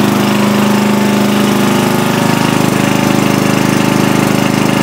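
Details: 40-year-old Briggs 11HP lawn tractor on its test run after an emergency field repair, shroud and hood refitted: a strong, even exhaust beat of about 220 pulses a minute at steady pitch, no misses or knocks. The engine runs healthy.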